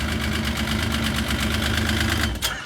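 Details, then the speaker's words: Yamaha RS Viking snowmobile after carburetor cleaning: even, steady idle with a clean regular beat and no stumbles or misses until shut off; normal idle. "You know, after a summer, should it be running rough? It should sound just like that. That's perfect, that is."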